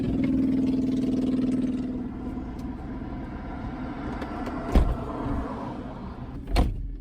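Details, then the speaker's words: 2005 Mercedes-Benz E320 wagon, service overdue by 36,000 miles: starter spins briefly, engine catches cleanly and settles to a smooth steady idle, no knocks or misses; runs very well. "yeah so this car hasn't been serviced in quite some time but it really does run really really well"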